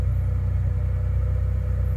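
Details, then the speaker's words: 1991 Ford F150 4.9L during real-time tuning: adding 500 rpm to the idle table raises idle from 700 to 1200 rpm, right where it should be; steady, even fast idle with a smooth low rumble and no misses. "you can see yeah it went from 700 to 1200 on your dsd rpm and it's right where it's supposed to be"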